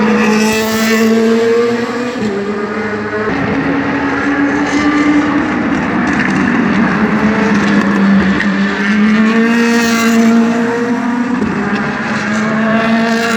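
Loud V8 at high revs with a ragged, uneven beat as the pitch rises and falls; it sounds like it's missing on a cylinder.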